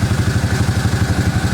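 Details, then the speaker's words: 1998 Suzuki Quad Runner 4x4 single-cylinder, after fixing a vacuum leak from a half-off vacuum line: low, even thumping idle with no hunting or surging; running properly. "oh motor sounds good so anyway guys i figured that out"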